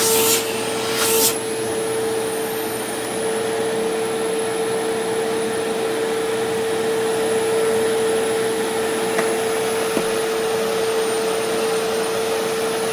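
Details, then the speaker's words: Used Sharp Twin Energy vacuum cleaner on first run after purchase: steady high whistle or squeal above the motor's even hum from switch-on; owner suspects air being pulled behind something where it shouldn't. "So it is quiet, but there's like a faint whistling noise. In fact, it's not very faint now that I think about it. There's a pretty prominent whistling noise."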